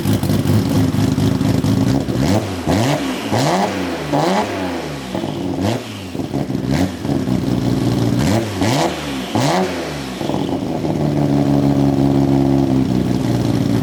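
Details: Built Nissan RB26 inline-six in an R32 GTR (fully ported/polished head, 260 Tomei cams), just fitted with a new loud exhaust and muffler: loud lumpy idle with repeated sharp throttle blips rising and falling cleanly. Normal idle and revs.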